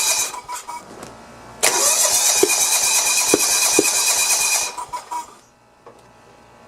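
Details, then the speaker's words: John Deere 170 mower, Kawasaki FC420V engine, strong spark, flywheel key good, valves checked, head gasket replaced: catches roughly with sharp pops and spits, runs raggedly a few seconds then dies; backfiring, timing or valve problem suspected. "it sounds like it's a valve problem doesn't it yes sir this is a strange one i guess i'm gonna have to look at the valves again yeah it's backfiring out of the"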